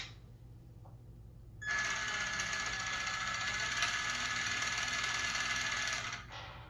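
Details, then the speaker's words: RC car after replacing worn parts with new bearings and steering servo, running the rear end: steady high motor whir with fast irregular clicking about four per second; owner suspects rear end or gears, cause unconfirmed. "Don't know what the clicking noise is. Maybe the rear end. Maybe my gears. I don't know."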